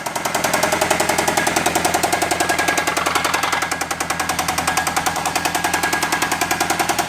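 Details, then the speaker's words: Chrysler/Dodge 2.4 L engine running with coolant drained and no water pump, not yet warm; loud, hard, even clatter about three to four raps a second, a knock and tap from inside the engine, with a light ting from the flywheel. "You can hear it touching you can hear it hitting the yeah, you can hear that. The little lightweight ting is the flywheel. It's more of a harmonic than it is a knock or a tap. The knock and tap's coming from the engine."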